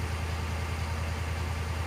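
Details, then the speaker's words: 2011 Ford F-350 6.7L Power Stroke diesel with newly wired high idle, in neutral with parking brake on; steady raised idle about 1200 rpm, smooth even drone with no stumble or knock; normal high idle. "I'll flip up to and it'll start to the 20k gives it about about 1200 rpm or so"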